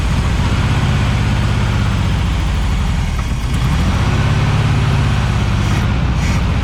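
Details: 1976 Volkswagen Beetle with '40 Ford kit, sat for years, cranking while fuel pump isn't pumping gas to the carburetor; starter churns at an even, heavy rhythm but never fires: crank no start from fuel starvation.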